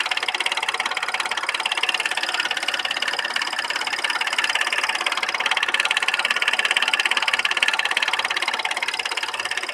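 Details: Audi A6 C6 3.2 with lack of power and misfiring: sharp, even ticking knock about three per second over a thin idle with an uneven beat; knock and misfire, cause unknown.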